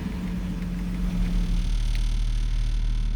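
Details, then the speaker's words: BMW E46 at operating temperature after a coolant leak repair and cooling system bleed, idling nice and steady with a low even rumble; solid motor mounts, no squeaking or squealing from belts, tensioners or idlers. Normal idle. "so far motors up the temp idles nice and steady"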